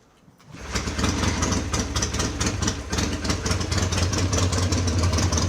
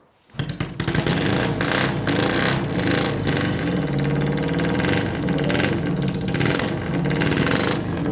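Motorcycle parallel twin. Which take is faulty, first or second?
second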